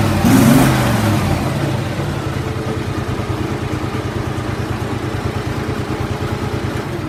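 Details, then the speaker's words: Mudding mower engine running after carb cleaned again and fresh gas added; starts and settles quickly into an even, regular single-cylinder beat with no misses or knocks, normal running. "We did get it running properly. I cleaned the carb out again. I'll start it up here and I'll let you listen to it."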